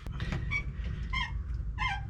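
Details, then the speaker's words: Truck rocked: sharp rubbery squeaks about every two-thirds of a second from the upper shock mount, whose hardware is loose enough to let the shock move. "That one squeak you're hearing is the upper shock mount. Hardware is just a little loose enough to let that shock move around a little bit."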